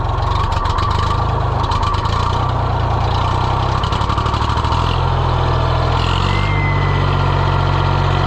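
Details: John Deere 1020 diesel tractor idling after repair work: steady, even low thrum with no knocks or misses; healthy and settled.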